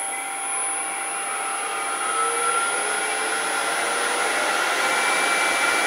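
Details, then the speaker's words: Grizzly G0800 wood lathe, newly received, starting up: motor whine rising slowly and evenly, taking about 10 to 15 seconds to reach full speed, slower than a Stubby lathe the owner used. Slow spin-up on start, normal for this machine. "probably 10 to 15 seconds there turn back off that was probably 10 or 15 seconds there to get it all the way up to speed"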